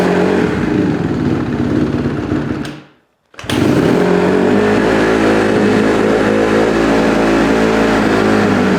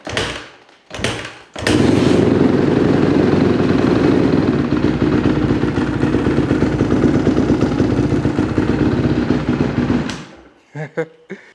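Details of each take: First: 2008 Honda CRF150RB dirt bike, rebuilt but running poorly, carb suspected: single-cylinder thumps at a steady, raised idle that won't drop, dies on throttle; owner suspects an air leak, running lean on a too-small pilot jet. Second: 2008 Honda CRF150RB dirt bike, reassembled after high-idle problem: fires after a few tries and settles into a steady, even idle with no surging high idle; normal.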